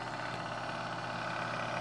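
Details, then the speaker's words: Keurig K150P with suspected faulty control board: quiet steady hum with no cycling as the water pump keeps running, overfilling the boiler until water spews from overflow and needle; pump runs continuously. "what's happening is the pump will continuously pump so the boiler is full and then at some point it will start to spew the water out the over through the overflow and also through the main needle here"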